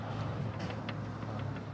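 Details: Viva: light, sharp irregular ticks over a steady low hum, heard from inside the car near the air-conditioning cooling coil. The source has not been found; the compressor and engine mounting are suspected but not confirmed. Knocking noise.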